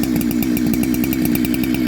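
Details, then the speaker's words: Ported chainsaw with a big-bore muffler mod, warming up at a fast idle: a loose, blubbery burble with skipped firing strokes, running rich (four-stroking), although the owner then says it leaned out at the high-speed setting and may need more fuel. "It sounds way fat. You hear it? Way good."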